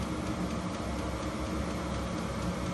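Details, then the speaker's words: HCALORY HC-A01 diesel heater set to max 36°C (96°F), fuel pump and fan speeding up: even fan rush with low steady hum, no rattles or squeals; normal running at full output. "I hear the fuel pump picking up. I hear the fan picking up."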